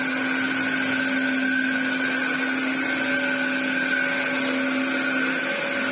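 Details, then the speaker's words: Dyson DC07 Clic (limited edition) after restoration and replacement parts, with a broken clip on the clutch cover area. A steady motor roar carries a fixed high whistle, possibly an air leak. Owner unsure whether a part is warped; cause unclear. "it's just a shame it sounds like a shark cylinder I mean it's this part whether it's a bit warped I don't know"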